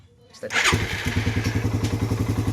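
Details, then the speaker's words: Engine at 20k odometer, still warm: a quick, steady tick on each beat that stays constant, unlike compression release, which fades. Worn cam chain tensioner. "Ayan, may natik-tik yan. Mainit pa nga to eh. Kanina lumabas, malakas talaga. Hindi yan compression release mga boss."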